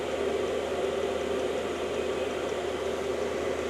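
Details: Cheap Chinese diesel heater wall-mounted in a workshop, about three to five minutes after start-up, readings climbing from 23–24° to around 47–50°: steady, even whirring rush with a soft mid-pitched roar, no knocks or surges; running normally.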